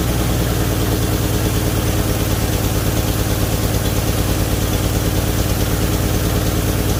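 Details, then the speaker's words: 1978 Chevy Nova after engine-bay pressure wash: low, slightly uneven loping idle, about three pulses a second; idle seems tuned way down, owner links it to a leaking brake booster diaphragm causing vacuum leak. Rough idle. "so i just wanted to show you real quick that it does run the idle is not correct i believe that it's been tuned way down on the idol"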